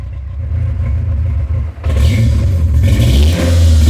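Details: 1996 Ford Ranger after fuel pump replacement, warming after sitting over a year, battery light on: steady low rumble settling into an even idle, a touch high but smooth, no knocks; owner expects it to relearn.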